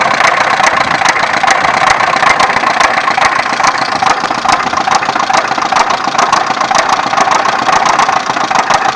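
Steady idle with a sharp tapping knock roughly twice a second, only loosely even; a knock from inside the engine, cause not yet known.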